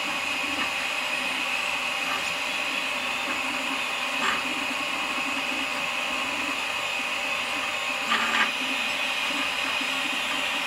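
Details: Malyan M150 3D printer: a steady motor hum with occasional light rattles as the bed moves along the Y axis. The owner suspects the very poor bearings under the bed.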